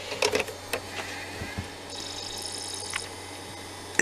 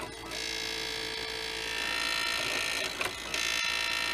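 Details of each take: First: Original Xbox DVD drive after the bent spindle was straightened, which had been making the disc rub loudly: a few light clicks, a soft rising whine as the disc spins up, then a faint steady hum with no rubbing. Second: Original Xbox DVD drive with a spindle clamp bracket bent, apparently from someone prying at it. It makes a loud, harsh, high-pitched scraping rasp while spinning and loading a game disc, as the disc rubs the bracket.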